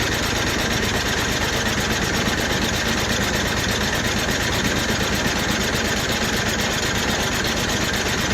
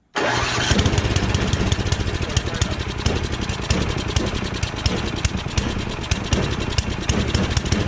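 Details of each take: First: Rebuilt snowblower, choked: a long run of even compression pulses while cranking, with no firing. The ignition switch was left off, so there is no start. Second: Snowblower after full rebuild, restarted with transmission set to medium: engine catches at once and settles into a steady, even chugging run with no misses or knocks; running properly.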